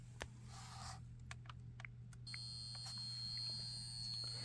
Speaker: in you can hear 9120 humming over here and the Great Ghost Kansas City Southern 2001 is also buzzing why because the tracks are set to DCC